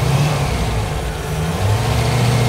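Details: Rover V8 3.9 L after distributor replacement, vacuum hose connected, revved while checking the advance with a strobe light: a smooth, even rise in engine speed with a clean drone and no misses or knocks. The timing advance works.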